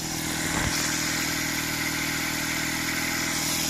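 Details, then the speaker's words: 46-year-old Honda CD175 after restoration, first start on choke: after a kick settles into a soft, even single-cylinder patter, no knocks or rattles; healthy steady idle, very quiet, needs a slight tweak. "But whoa, it's so quiet, I can't hardly hear the thing. I need to just give that a bit of a tweak, I think, whilst it's running."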